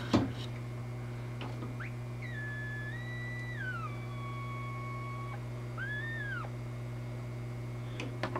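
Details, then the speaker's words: Sparton 931 tube radio after repair and new capacitors: over a steady mains hum, a wavering whistle slides in pitch, with microphonic feedback and oscillation below 850; new caps near the coils or mismatched tubes suspected. "see how microphonic that is foreign upper stations work really good it's extremely loud too"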